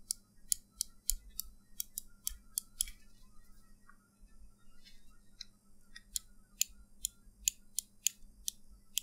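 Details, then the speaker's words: Glorious Model D mouse after foam padding was added inside the shell to limit post travel: crisp, tight clicks ending in a quick burst of rapid clicking, with no squeak or hollow sound. "now the final sound test no squeaky and hollow sound at all it will work in any mouse that has squeaky sound or hollowness"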